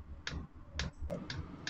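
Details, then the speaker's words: Chinese diesel air heater (Webasto-type) during restart: soft, regular clicks about twice a second over a low hum, the diesel dosing pump normally sending fuel into the combustion chamber as it warms up. "quand on entend le bruit de la pompe là les petits clac clac claque c'est la pompe de gasoil qu'en voit le gasoil dans le corps de"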